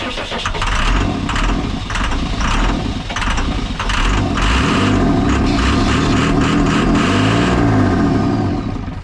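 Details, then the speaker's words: Cummins diesel in a roughly 2002 Snap-on truck that sat about 10 years: long, steady cranking with no catch. Plenty of fuel flow at all injectors and no return, runs on ether; injector swap planned. "I'm getting a ton of fuel flow at all the injectors, but it just will not fire. It'll run on ether."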